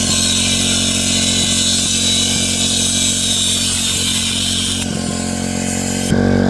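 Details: MVP 49cc Chinese two-stroke scooter, previously non-running, after carburetor upgrade, intake swap, new spark plug and coil, fed from a remote fuel supply: steady high rasp, picks up cleanly when revved; normal running.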